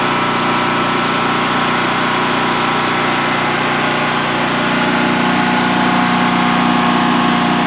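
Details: New DuroMax XP15000HX generator installed in a shed, second start-up on propane with the exhaust fan off: a constant, even drone at fixed speed with no surging, misfires or rattles over a 5-minute test run. Normal idle, no issues.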